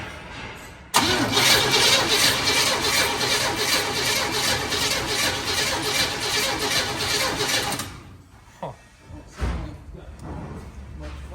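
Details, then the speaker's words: Squarebody Chevy, carbureted and on gasoline: steady starter churn for about seven seconds with no catch after one pop. There is spark but no fuel at the filter, so it cranks but will not start. "Doesn't sound like it's firing at all. But it is. Well, it did. It popped that one time, so, but it still has 0 fuel up here."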